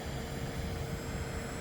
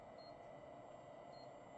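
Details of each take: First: Pentium 4 3.2GHz Prescott PC with an EZCOOL 400W ATX-400 JSP power supply drawing about 116 W per the BIOS: a thin, steady high whistle above the fan hum, like it's about to pop. Power supply coil whine. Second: Pentium 4 3.2GHz Advent PC, EZCOOL 400W ATX-400 power supply after fitting a new fan: soft steady whoosh of air with no rattle or grind, faint regular tick; fan quiet and healthy, quieter than before.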